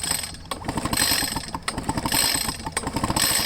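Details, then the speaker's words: Echo PB500H two-stroke blower, wet fuel-smelling spark plug: uneven pull-starting bursts about one a second, quick chuffing compression pulses that never catch; flooded engine won't fire. "i don't know the plug does look kind of wet yeah and it stinks like it's flooded"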